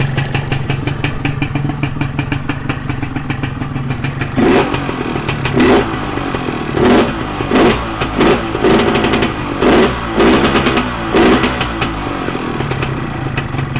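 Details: Modified Yamaha 125Z two-stroke idles, then about eight quick throttle blips with a burbly, lazy pickup down low; the mixture is set too rich, hurting low-RPM response.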